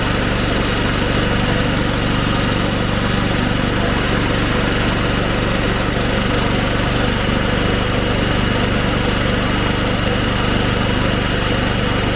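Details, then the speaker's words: Old Snapper mower rescued from the trash, running after the carburetor diaphragm was reinstalled, on fresh gas with the throttle at start. The small engine runs steady and even at a fast idle with no misses or surging. Sounds healthy. "go ahead and put the throttle on start and give it a pull probably take a few pulls to get some gas up into the carburetor but we'll see"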